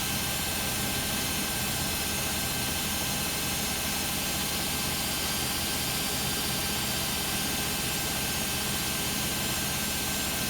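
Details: Beko WM5100W 5kg washing machine, found on the street and plumbed in, test-running a rinse with rags: a steady loud roar with heavy hiss and no clear knock runs through a roughly 10-minute spin. Noisy drum; cause not yet pinned down.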